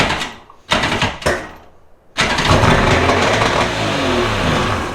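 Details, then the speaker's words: Two-stroke premix jon boat engine, unused three years, carbs rebuilt: cranking bursts, then it catches and races unevenly; it ran away because using a shop vac on one cylinder flooded it with excess fuel. "oh it ran away what the why did it run off oh I bet because I put the shop vac down in that cylinder it dumped a bunch of gas down in there"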